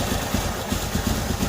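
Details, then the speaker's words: Engine first started after reassembly, with oil that had dried out: harsh, uneven idle with a dry, clattery rattle over the low throb at every beat; cause suspected, not confirmed. "अब हम इसे पहले चालू करते हैं । एक कर्कश ध्वनि है, हाँ, कठोर लावा क्षेत्र"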